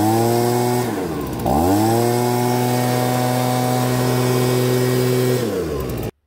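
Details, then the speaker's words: Stihl BG55 two-stroke leaf blower with a new OEM carburetor that bogged, after turning the H screw out about half to one turn for more fuel: drops to idle, then snaps cleanly up to a high, steady buzz without bogging. "by turning out the h screw like i did a bit what that does is it allows more fuel to get to the engine so it can rev up"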